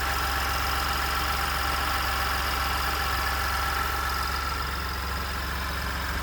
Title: 2nd Gen 3.5 EcoBoost V6 Engine Knocking, Rattling - 29K Mile 2018 F-150